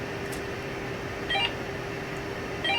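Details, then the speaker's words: A Uniden radio and a CB radio both set to channel 16: keying the mic gives two short high chirps over room hum while the other set stays silent, because the incompatible radios won't talk to each other. "nothing all you hear is the chirp on this let me key up the mic over here let me keep the mic over here listen nothing happening there because this radio won't talk to that radio"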